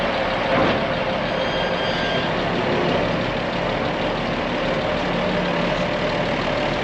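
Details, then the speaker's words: Farm Cummins diesel engine taken from a Versatile tractor, idling: steady even smooth low rumble, no knocks or misses, a little smoky, owner thinks it needs the rack run on it; normal diesel idle. "Hear that old Versatile engine purring in there? It's actually a Cummins, but it came out of a Versatile. It is a little bit smoky."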